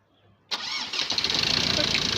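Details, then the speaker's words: Ford Ranger 2.2 TDCI diesel after engine and gearbox rebuild and reinstall, accessories, radiator and throttle refitted; restarted on one key turn, short crank then catches first try and settles into steady even idle without shaking; normal healthy start. "ቁልፍ አሪፍ ነው በጣም። ይሄን ይመስላል። ይኸው ምንም ነገር አይንቀጠቀጥም።"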